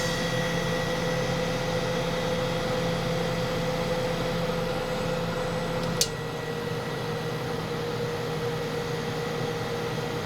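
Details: 1981(?) Kenmore 48-pint dehumidifier with Tecumseh AE compressor on constant run, two-speed fan: steady even compressor hum with constant fan rush, no knocks or rattles; running normally.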